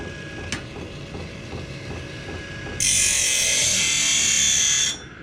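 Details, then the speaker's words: Small electric motor tool on a battery reading about 12.4 volts, with a possibly over-sharpened cutter: light whir, then a harsh hissing grind for about two seconds as the wheel bites, the motor straining under load. "Alright, let's fire it up. Oh, wrong one. Fire it up. Hear how hard it's working there."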